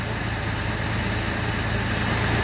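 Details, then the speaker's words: Jaguar Series 1 4.2 with new electronic ignition, warming up after a cold start. A steady, even idle with a smooth low hum and no misses or knocks, as the choke comes off and the note changes; running smoothly. "But that is running so smooth. There you go, choke's just gone off."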